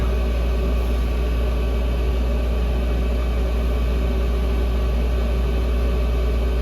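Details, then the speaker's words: Chinese air heater (Webasto-style) during its shutdown cleaning cycle, still blowing hot air: loud, steady low fan drone with an even hum and no knocks or rattles. Normal fan run. "Pareil, quand il fait son cycle de nettoyage, il n'est pas discret. Hein. T'as vu? Le bruit de la ventile."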